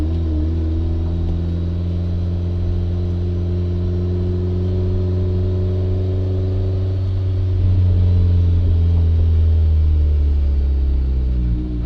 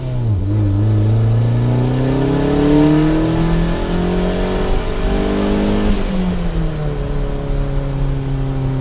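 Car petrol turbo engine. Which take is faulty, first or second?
first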